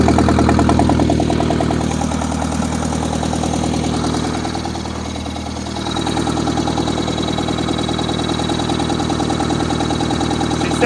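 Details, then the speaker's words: 1963-64 John Deere 1010W tractor, sat 18 years, started at about half throttle and full choke; settles into an even idle after a brief dip, firing regularly without knocks or stumbles. "sounds really good. This is awesome. It's filthy."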